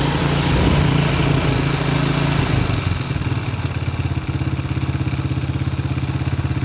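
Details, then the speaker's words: Honda Supra motorcycle engine with oil seeping leaks, also smoky with a gear-shift fault: quick steady idle with a busy clattery edge over the pulses; engine mechanically noisy, source unclear. "pada bagian mesin gua berisik"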